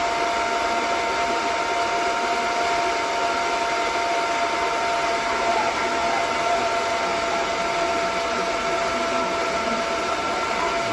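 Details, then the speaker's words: DB Werx amplifier fan on DROK buck regulator, constant-current limit being turned down from about 2.8 A: steady whir with thin even tones before the fan shuts off from insufficient current; fan running at reduced current. "adjusting the amperage, and it shuts off right there. So this fan will shut off if you don't feed it enough amperage."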